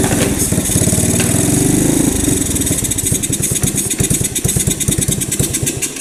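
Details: 1985 Honda ATC110 three-wheeler abandoned in a field, brake fluid sprayed down intake, on choke: cranking turns into ragged, uneven pops and coughs, trying to catch; hard start, owner suspects gummed-up carb.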